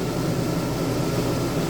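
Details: Dometic camper air conditioner after replacing its fan motor (it had cut off randomly and hummed, a new capacitor lasted two hours): even low hum with steady fan rush, no rattles or surging; running normally.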